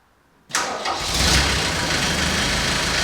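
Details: Civil-defence Mercedes T2 406D diesel van, just reassembled after replacing the leaking water pump and refilled with coolant before a test drive. The engine catches cleanly about half a second in and settles into an even, steady idle with no knocks or rattles. Healthy start.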